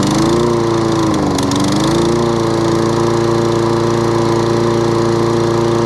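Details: Toro Recycler lawnmower started on choke with the dead-man bail held: engine note sags and picks back up unevenly over a couple of seconds; hunting surge traced to a partly blocked carburettor main jet.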